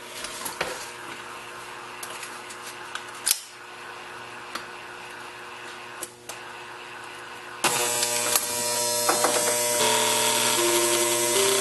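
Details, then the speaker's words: NuTone IM3003 radio intercom master station on bench with chime module plugged back in, before repair: quick even relay clicking about four a second, then louder steady hum; relay chatter as chime module tries to ring, with the common loud background hum fault increased. "not only has the hum increased and actually what you're hearing some of it was a relay chatter that's the relay is activated by the chime module and the chime module attempted to ring"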